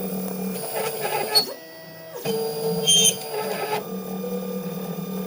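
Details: Wombot Exilis XL 3D printer, shipping-damaged with loose parts and cracked ABS parts, repaired enough to print: motors whir with loud high-pitched squeaks and screeches tied to the movements; source unclear.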